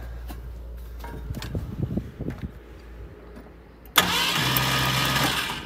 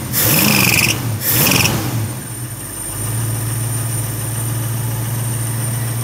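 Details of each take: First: 1972 Ford Maverick Grabber with factory V8, parked a decade, new battery fitted: the starter churns steadily at about four turns a second with no firing. Cranks but won't start; the owner plans to clean the plugs. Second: 1972 Ford Maverick Grabber with factory V8, after a decade of neglect and fixing a large vacuum leak with a homemade gasket: a brief cranking burst, then a smooth, even low idle with no misses; normal idle.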